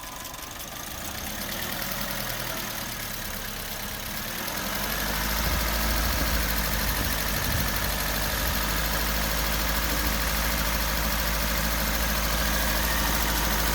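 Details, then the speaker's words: Suzuki Swift engine held at about 1500 rpm with mass airflow sensor unplugged, engine light on: even hum, no knocks or misses, running okay; valve suspected. "it sounding all right yeah i still think it's good yeah but it's running okay without that plugged in at the moment"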